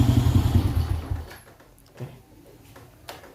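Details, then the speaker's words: Honda Astrea Star motorcycle under full restoration, not started or warmed for 3 days, with faulty wiring; fires and runs roughly for about a second, then fades and dies; cause of the stall not confirmed. "Kenapa mati? Ini motor udah 3 hari nggak dihidupin, nggak kita panasin."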